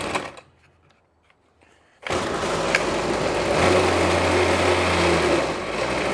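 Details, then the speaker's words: Trash-picked Ryobi 25cc two-stroke string trimmer with a non-adjustable carburetor: catches and screams buzzy and strained at high revs, running only on throttle. It dies as soon as the choke is backed off, so it is running very lean. "how it runs is incredibly lean foreign yeah it won't even try unless I'm on the throttle throttle and then as soon as I backed the choke off shoot she dies so we are incredibly lean"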